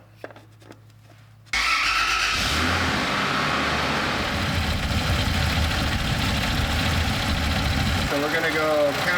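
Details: 1993 Toyota Land Cruiser 80 with rebuilt engine: catches on the first crank and settles into a steady, even idle with no knocks or misses.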